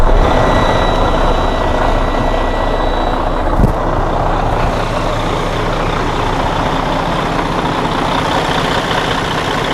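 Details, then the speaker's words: Detroit DD13 heavy diesel after repair for a damaged camshaft that caused an out-of-time noise: camshaft replaced. Now a steady, even idle with a smooth rumble and no knocks, to compare with the earlier sound. "si pueden escuchar la diferencia en el sonido del motor ya una vez ha sido reparado lo pueden comparar como sonaba antes"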